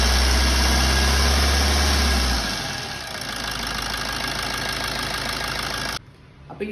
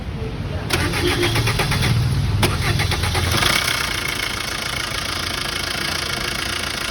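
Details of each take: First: Diesel engine idling smoothly and evenly after timing chain replacement, with no chain rattle from the timing side; the old chain was very loose at about 180,000 km, causing long cranking and loud noise. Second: Diesel after a long crank starts, then runs with a busy clattering rattle from the timing chain end of the engine, louder than normal; timing found shifted by half a step, loose timing chain.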